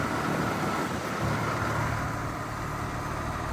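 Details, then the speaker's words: New 2025 Carrier Comfort Series 4-ton heat pump running in heat mode after a rattly startup: even compressor hum with a smooth fan rush and a faint constant tone, no knocks or rattles, normal running. "That sounds better. All right. So, yeah, there's the brand new 2025 4tonon Carrier Comfort Series heat pump starting up and running in heat mode."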